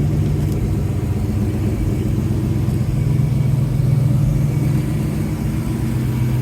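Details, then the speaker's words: 1971 Oldsmobile Cutlass Supreme after installing an Edelbrock 1791 self-regulating electric fuel pump and new fuel line, about 10 minutes after first start: even, steady idle with a deep regular exhaust pulse, no misses, ticks or surging; normal idle. "Okay, so it's been running about 10 minutes now. Just wanted to make sure that everything was okay."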